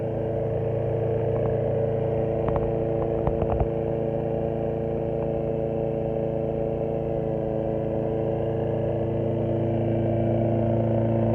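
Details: 2006 Briggs & Stratton XC 35 mower that wouldn't start, after fixing a loose brake/kill-switch cable that kept the kill switch closed: single-cylinder engine holds a steady, even drone at constant speed, no misses or knocks; normal running.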